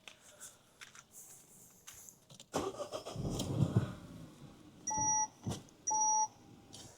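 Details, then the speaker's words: 2014 Citroën DS4 with a no-start traced to a faulty fuseboard with an intermittent battery management sensor. Once 11.9 V appears through the sensor, there are clicks, a short crank and the engine catches and settles, followed by two beeps. It starts normally. "I bet this car will start now. Let's see if it starts. I bet it'll start now."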